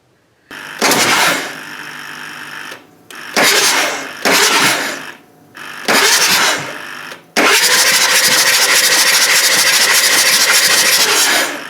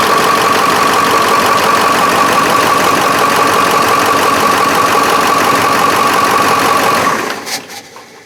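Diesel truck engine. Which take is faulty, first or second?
second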